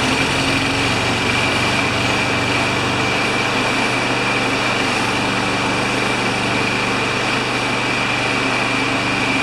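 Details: Craftsman mower with Kohler engine, after carburetor cleaning and draining fuel, catches and keeps running at a steady, even high buzz with no misses or surging; running normally.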